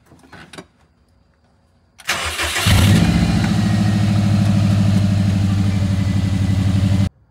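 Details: Factory Five 818 after repairing fuel pump connections with crimp connectors instead of solder seals: short crank, catches straight away and settles into an even, steady idle with no misses; normal start after fuel pump fix.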